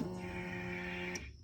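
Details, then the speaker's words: 2005 Polaris Sportsman 700 EFI ATV after replacing the in-tank fuel pump, regulator and filter with Quantum parts, key on without cranking to prime: steady electric whine for about a second, then cuts off cleanly; normal priming. "Okay, quantum fuel pump and fuel filter are in. Priming up the Polaris."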